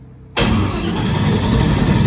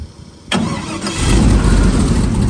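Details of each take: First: LS3 airboat engine just converted from carburetor to Holley Sniper fuel injection: cranks and catches roughly, with snapping sparks arcing between coil and bolt; suspected short in coil wiring harness, unconfirmed; cranking, no start. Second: LS3 airboat engine after Holley Sniper fuel injection conversion, 60 psi fuel pressure, no tune, ECU still learning air-fuel mixture: brief crank then steady, even V8 idle without misses or knocks; normal idle.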